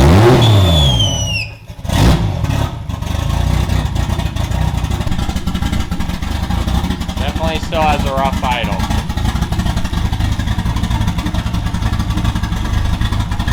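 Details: 2JZ-swapped BMW E36 during idle troubleshooting, fuel pressure just over 40 psi: uneven, loping idle with irregular low thumps; rough idle, possibly misfiring; unplugging the MAF made it rev up then die, owner suspects a MAF problem.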